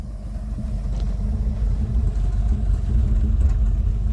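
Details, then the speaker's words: Long-stood Rolls-Royce Silver Shadow II V8 running on its own after spark plugs were replaced and the carburettor was cleaned; deep, even idle rumble with no misses or knocks, though a belt issue remains. "And if you can hear, there is some engine sound. She's running."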